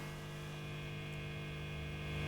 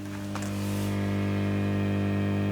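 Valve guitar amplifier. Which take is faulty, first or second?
second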